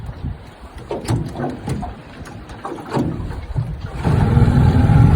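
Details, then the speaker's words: Restored 1996 Johnson 15 HP outboard, model J15RED0, warmed up. It is started on the lake, catches after some handling knocks and settles into a steady even idle. Normal idle. "Need a half a full. Just starts up idles real good."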